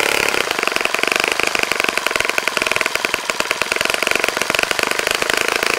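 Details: Saito FA-65 model engine on its first run after rebuild, APC 12x6 prop, Morgan's Omega 10% fuel, Fox Miracle plug, needed heavy priming to start; high, buzzy even rapid firing with no sputter or misfire, running cleanly; normal running.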